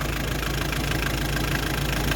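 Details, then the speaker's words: Hyundai Terracan 2.5 diesel D4BH after fixing an engine knock caused by an assembly mistake: even, steady idle with smooth low rumble and no knock; knock gone, runs as before. "Всё ровненько, всё хорошо, всё отлично. прикрыть. Всё, как работал раньше, так и работает. Сейчас всё нормально, всё отлично. Всё, стук пропал."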